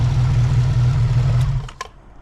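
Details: Honda VF750 V4 motorcycle after carburetor sync, warmed up, choke off, idle set near 1000 rpm: smooth even low idle hum with steady beat, no misses or clatter, then clean shutoff; healthy idle.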